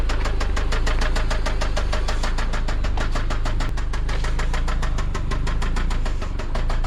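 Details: Toyota MR2 SW20 with 5S-FE engine on its final drive before a 3S-GTE swap: idle carries a hard evenly spaced knock, several a second, locked to engine speed; connecting rod knock.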